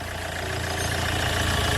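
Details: Hyundai Getz engine at 149,668 km, after clutch kit and oil pan gasket replacement for oil loss and poor pulling: steady, even idle with a smooth low hum and no knocks, ticks or misses; healthy.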